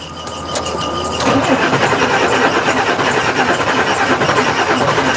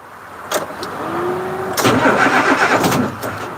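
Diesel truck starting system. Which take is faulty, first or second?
second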